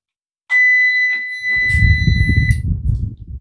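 A UPS buzzer sounds a long, steady high-pitched beep and starts again, warning that the battery charge is too low.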